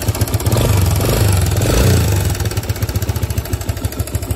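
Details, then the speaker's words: 2005 Suzuki DR-Z125 air-cooled four-stroke idling after adjusting spring-loaded cam chain tensioner: light quick ticking, slight top-end clatter remaining but much quieter than before. "I don't know if you guys will be able to hear it but still a little bit of clatter but it is a lot wider than it was"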